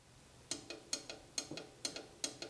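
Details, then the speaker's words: 12-valve Cummins diesel being swapped into an 80 Series Land Cruiser, before first start: fuel shut-off solenoid hotwired to the battery via a spade connector gives crisp paired clicks about every half second as the plunger snaps; solenoid works normally. "I wanted to check my fuel shut off solenoid to make sure that it was clicking so I went ahead and attached a small wire with a spade connector to the back portion of this fuel shut off solenoid and you can hear it"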